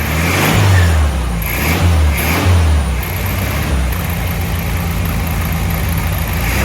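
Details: 1967 VW Beetle air-cooled flat-four that had a varnish-filled carburetor, running on its own: a couple of throttle blips, then a steady idle that holds without hunting. No vacuum leaks and good power; normal idle.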